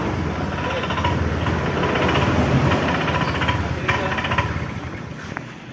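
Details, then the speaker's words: Honda Vario 125 scooter stumbling under throttle: uneven sputtering "keretak-keretok" chug that bogs and sags as throttle opens, stalling at full throttle; starts fine; cause a misadjusted throttle position sensor. "Ini motor Vario 125 tidak bisa digas ya digas nahan ee keretak-keretok seperti itu kalau gasnya sampai mentok dia akan mati motornya teman-teman"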